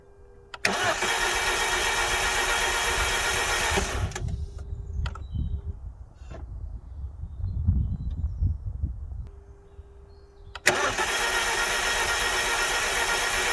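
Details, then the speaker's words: Alfa Romeo Giulietta that had been standing a very long time, keys newly coded, fuel pump priming: starter cranks for several seconds without catching, repeated attempts, then the engine finally fires; hard start, cause not confirmed. "put the key in ignition on fuel pump what you know kicks into life everything like that and you turn it nothing turn it nothing and this is what um you'll hear in a minute and i'll just run it through um and then at the end you'll hear it finally fire up after a number of attempts"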